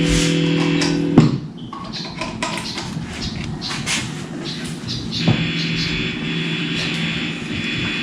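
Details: Fender Mexico bass through an amp in the Philippines: a steady low mains ground hum. It breaks off with a pop when the plug is flipped, then returns somewhat quieter.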